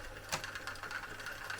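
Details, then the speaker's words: Vintage NOS cassette recorder on fast forward: thin whirring with steady high whine and uneven ticking, transport straining; broken drive belts, play and reverse not working, fast forward intermittent. "So, it does fast forward, but it does not play. Yeah, I can hear the broken belts. It's weird how it sometimes does fast forward and sometimes it doesn't."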